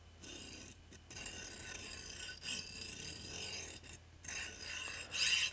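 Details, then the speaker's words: JGAurora A5S 3D printer stock linear bearing worked by hand: dry, scratchy, gritty rasp in uneven bursts, sticking, poor quality, can cause noisy prints and layer shifting, unlike a smooth generic replacement. "horrible so if you wonder why your print is noisy because they've used terrible quality bearings this is just not good enough"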